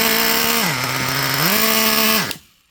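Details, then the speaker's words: Traxxas Revo 3.3 nitro engine before needle adjustment: buzzes high, sags low, never revs all the way up and cuts off as soon as throttle is released; mixture running too rich. "Remember the first one, the original, just a second ago, when I fired it up, it ran so sluggish as soon as I let off the throttle, it cut off."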